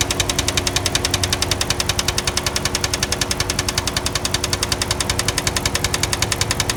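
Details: 2005 Chrysler 300C 5.7 Hemi at idle; sharp even ticking about 158 per minute over a steady idle, valvetrain-type tick, cause unknown.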